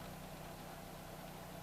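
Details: 2011 Dodge Charger 3.6L V6 at startup after spark plug replacement, fixing rough idle that rose and fell: low steady idle hum, no surging or stumbles; normal idle.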